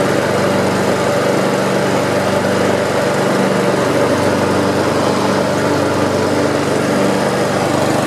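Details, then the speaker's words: Almost-new Honda HRX217 electric-start mower, previously leaking oil under the engine, stress-tested after repair with blade clutch checked: steady, even buzz with no misses, knocks or rattles; running smoothly, no further oil leak seen. "i am going to stress test it this is a the mower is running real smooth you can see"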